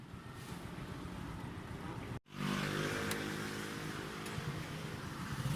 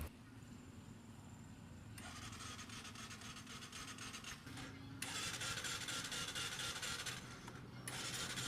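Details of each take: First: Bajaj CT125 single-cylinder that stalled on a trip and would not start, fixed by running it at high rpm to burn off unburned carbon: now idles steadily again after a brief cut. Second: New Bajaj CT125 motorcycle that died on a ride and won't start on electric or kick start: starter whirs in repeated bursts, turning over fast and light but never catching; loss of compression.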